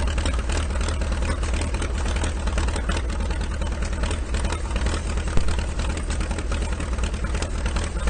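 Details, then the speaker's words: IH TD-6 dozer diesel after its injection pump was swapped for the Oregon pump, in snowy cold weather. Steady low idle rumble with a slightly uneven beat from idling too long, but running smoothly. Sounds much better after the pump change; normal idle. "The Oregon injection pump on Kommunist Kat sounds a lot better now. It kind of sounds like this right now because he was letting it idle too long, but now we'll head on over to the shop and get the hitch off."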